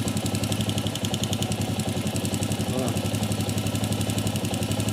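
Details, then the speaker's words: Honda CG 125 single-cylinder idling while the rocker arms are held with a screwdriver: steady even beat of about 220 pulses a minute, no knock; noise stops, showing it is internal play needing new washers, not valves. "Aí ela fica com o barulho normal."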